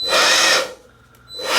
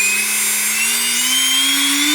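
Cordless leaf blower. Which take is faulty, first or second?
first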